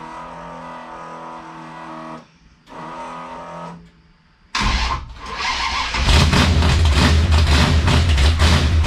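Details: 440 V8 Dodge Challenger drag car on its first drive, with a big race cam and still needing tuning, fires and settles into a loud, choppy lope near three beats a second; a healthy big-cam race motor idle.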